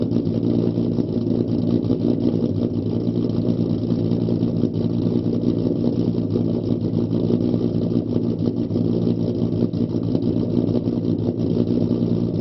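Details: 4.0 V6 Mustang with an idle chop (lope) tune, idle raised from 675 to 725 rpm, on a startup test: low, steady idle with a slightly uneven chop in the beat.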